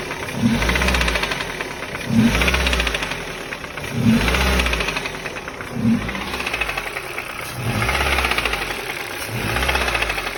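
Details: 2005 pre-facelift Ford Focus 2 with 1.6 Duratec HXDA petrol engine, about 130,000 km, hot: repeated revs, each followed by a sharp metallic knock as the throttle closes; an unknown knock on lift-off that appears when warm.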